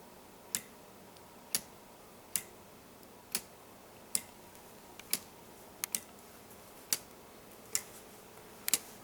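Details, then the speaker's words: Homemade weight-driven pendulum clock under construction, with escapement, gear train and auto-wind chain; crisp ticks about once a second as the escapement pushes the pendulum; normal tick-tock. "When you hear that, that ticking sound, that tick tick tick tick. That's what this is. That's what that is. It's uh just the skatement pressing on the sides of the pendulum to make it rock."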